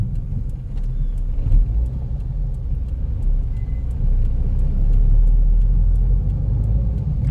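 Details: Taxi on a road test: a deep steady rumbling growl under road noise, felt through the floor, like grinding metal or a mixer. A bad wheel bearing is suspected, possibly on the passenger side, not yet confirmed.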